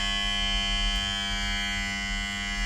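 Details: FBR GAS X4/2CE gas burner motor powered but not starting: a steady electrical hum with no spin-up, and the motor is scalding hot. A failed motor capacitor or the motor itself is suspected.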